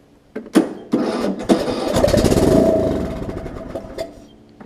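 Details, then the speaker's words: Long-sitting John Deere LA105 mower, carburetor off, starter fluid sprayed into the open intake port: a few cranking bursts, then it catches and runs a couple of seconds before dying; engine cranks and fires fine. "let's see if I can just pop some starter fluid in here and see if we can get this thing to fire I just want to hear it I just want to hear it run"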